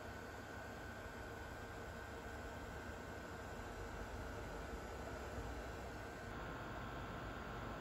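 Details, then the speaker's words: Refurbished and rebuilt Pentium II PC, first power-up after reassembly, running Windows 98 SE: steady even fan hiss with faint constant tone, no ticks, rattles or grinding; everything works fine, normal running. "the system is up and running everything seems to work just fine"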